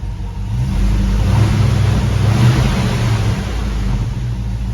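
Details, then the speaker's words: Hemi V8 swapped Grand Wagoneer after fixing misfires previously mistaken for exhaust leaks: revs smoothly and settles without dying, deep steady rumble, no ticking or misses, no injectors shutting off. "I don't hear any ticking. Nothing. All right, the big test is gonna be revving it up. See if it wants to die."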